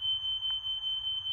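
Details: Hardwired interconnected house smoke alarms, reconnected, tested with smoke spray: piercing steady high-pitched tone near 3 kHz without a break; the interconnected alarms sound properly on test.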